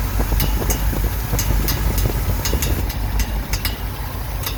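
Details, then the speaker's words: 1969 Ford F100 V8 idling after sitting, coil wire changed: sharp, uneven clicks about twice a second over the idle as the fan strikes the radiator shroud; pulling it back stopped the noise. "I don't know if that's a water pump or what that is fan hitting the radiator yeah it's a fan hitting the radiator"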